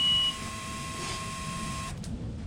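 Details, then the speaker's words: 2006 Mercury Optimax 225 outboard, main oil tank replaced, tank inverted to simulate full: one short high beep at key-on, faint steady hum, no 4-beep low-oil alarm at 30 seconds; normal key-on system check. "No oil alarm at 30 seconds, right? So you'll have your initial beep."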